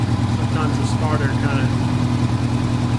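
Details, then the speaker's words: 1985 Honda Gold Wing GL1200 Aspencade flat-four after sitting 7 years, freshly rebuilt carbs and idle adjusted; smooth even low idle with steady pulse and no misses; running well. "a little bit of adjustment on the idle and the bike is running pretty well"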